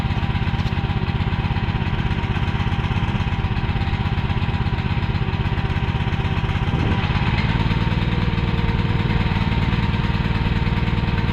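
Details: Repaired mini excavator's small pull-start engine running: steady, even chug with slight settle in speed midway, no knocks or misses; running fine.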